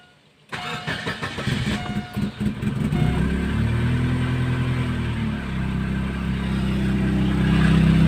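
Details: Chevrolet Optra/Lacetti/Forenza engine bay just after start at idle: steady droning hum over the idle from the single accessory belt area (A/C compressor, tensioner, alternator, steering), pointing to a worn belt tensioner pulley bearing, checked by removing belt.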